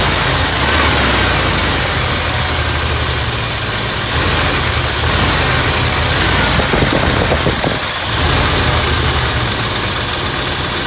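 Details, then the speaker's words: 1979 Ford F-100 Ranger 302 V8, first start after replacing a dirty fuel filter following a crank-but-no-start: loud fairly steady idle with an even burble, no stumbling or misfire; healthy idle. "new fuel filter fired right up all right i'll tell you what i'm glad that thing fired up"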